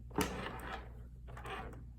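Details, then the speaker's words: Coinco bill validator (BA/Mag/MagPro/BillPro series) at power-up: short whirring motor cycles and a soft clack, then quiet, red LED following; normal power-up self-test, unit accepts bills. "Okay, so this is how it's supposed to sound with a normal power up."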